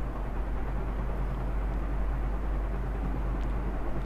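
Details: Ceiling fan after disassembly and treatment with WD-40 to cure a noisy bearing, refitted: low, steady hum with no ticking, squeak or scraping; bearings sound smooth and quiet, normal running.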